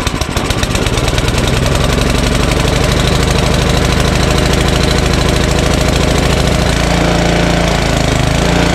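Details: Ariens snowblower Tecumseh Snow King engine, full throttle, choke, primed, fuel shutoff dripping: electric starter cranks and engine catches into a loud, uneven chuffing run; starts without added fuel but surges a little.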